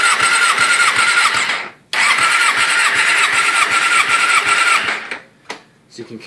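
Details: 2009 Suzuki GSX-R600, high-compression 11.5:1 engine, compression test on cylinder 4 during a valve adjustment, ridden daily: even, strong starter cranking pulses about 2.5 per second with steady whir; reads about 180–182 psi, above the 170 minimum; healthy.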